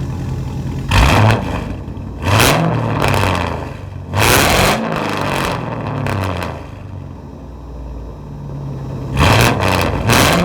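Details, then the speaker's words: SleeperGTP, high mileage, warmed up after a drive. Several quick blips rise cleanly and settle smoothly with no knock or rattle: normal revving, though the owner hears what may be slight piston slap. "all right so yeah i mean it's pretty healthy for that many miles it runs pretty smooth"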